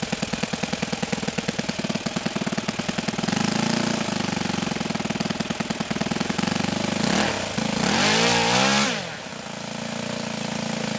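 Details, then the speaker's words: OS FS-91 Surpass four-stroke nitro RC engine, after leaning the low-speed needle from rich. Fast, dry, even beat, pitch swooping up then settling. The idle climbs from the lean setting: lean low-speed idle. "you'll notice i'm fiddling with the throttle on the low speed just trying to keep it running and there's that sort of pop and cackle we're talking"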